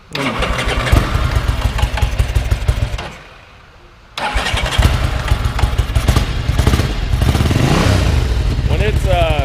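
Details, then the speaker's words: 1987 Ducati 750 F1 motorcycle, cold start with little or no choke: lumpy uneven cranking, stalls to near-silence, then catches on a rough twin beat; struggling to start, which is how it normally behaves when cold. "When it's cold, that's how it behaves. And I didn't have the choke pulled on the inside either, but that's basically how it's going to behave."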